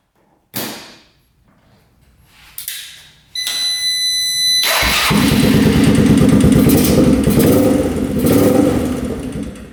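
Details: Rough 4x4 ATV sitting for years, first start after siphoning old gas, temporary choke via vice grips: cranks, catches, then runs ragged and hunting, choke-dependent; dies with choke off; owner suspects lean, fuel screw to go out.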